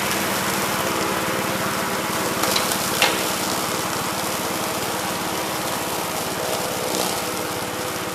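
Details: 1969 Gravely C8 walk-behind tractor, single-cylinder engine fired up in the morning after repairing its no-high-range fault (worn ring found): even, steady chug with a couple of light knocks mid-clip; judged running smooth and healthy.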